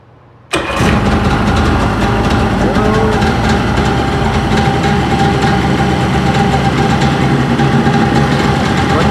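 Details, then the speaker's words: 1992 or 1993 Sea-Doo GTS jet ski during budget rebuild, started on a jump box with no battery: catches at once after brief silence and settles into a loud, steady idle without misfires; everything appears to be working well. "Good. Kind of loud, so I'll go ahead and shut her off, but looks looks like everything's working well."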